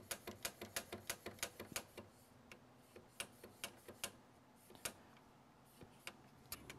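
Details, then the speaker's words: Commodore SX-64 1541 floppy drive, after cleaning the head and greasing the sticking mechanism with lithium grease: quick, uneven clicking as the head steps back and forth freely, with no sticking or labouring motor. Head movement is now normal. "that's doing a lot more nicely hopefully"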